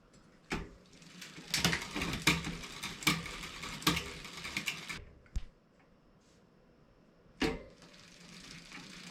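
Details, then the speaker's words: Mountain bike (2020 Specialized Fuse 27.5+, Shimano Deore Shadow Plus 10-speed rear derailleur) shifting cleanly with crisp clicks and even chain whir after barrel adjuster indexing; previously rubbing the next cog. "Now it's shifted smooth."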